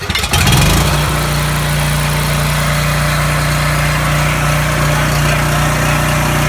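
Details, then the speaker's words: Coleman 5,000 W generator with Briggs & Stratton engine, serviced, lubricated and adjusted after governor replacement (part 277-42201-33), rpm checked with tachometer: starts quickly, settles to steady even drone without hunting or surging; normal governed run. "all right so now we have any 5,000 watt generator not only is it serviced it's a hundred percent adjusted and it's working absolutely beautiful"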